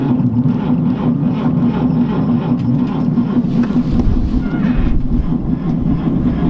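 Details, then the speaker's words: 1949 Chevy 3100 six on a 6-volt battery, choked cold start on a January winter night. Sluggish, low rumble as the starter turns the engine over: slow cranking. "cranking pretty slow I think she's gonna fire off though I don't know give her a break for a second"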